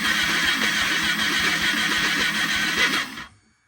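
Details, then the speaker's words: Ducati 1199 Panigale engine on a bench for a Honda Grom swap, Fueltech ECU, crank sensor connected, no fuel system yet: quick, even cranking chatter about two to three beats a second for three seconds; healthy cranking, RPM signal reads. "So got RPM, everything sounds good, it's turning over good."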